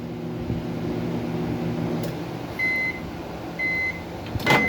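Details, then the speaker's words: Mabe microwave that powers on but doesn't heat, run 10 seconds with water: transformer hum as the magnetron engages, then clicks and three beeps; water stays cold, fault on the high-voltage secondary side. "Bueno amigos, aquí miren, en este horno de microondas que no calienta, se escucha cuando entra el magnetrón y el transformador. Ahí podríamos decir que la falla está en el lado secundario del microondas."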